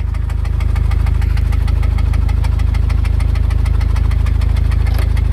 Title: Blew up my 99 Civic with rod knock